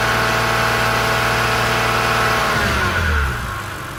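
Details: BMW Z4 E85 3.0si, N52B30 engine, drive belt removed so alternator, tensioner and AC are ruled out: steady whir rising with revs and fading as engine drops back, worsening over time; owner suspects DISA flaps, unconfirmed; odd knocking when back at idle.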